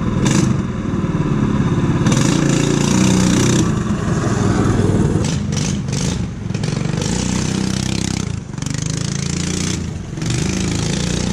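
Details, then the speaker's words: Power Wheels ride-on with small engine and new carburetor, running with no muffler fitted: harsh, blatty bark swelling with each rev, super loud, before muffler added. "can we drove this between those super super loud so we decided to work on the exhaust next"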